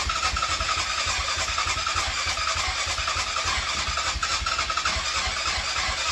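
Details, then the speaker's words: Yamaha Grizzly 660 ATV that ran when parked, now cranks but won't start despite spark, fuel, fresh battery and a clean carb: steady starter churning with even compression pulses, never firing. Owner suspects low compression. "uh yeah pretty much so far just crank no start she turns on fine she goes into gear fine"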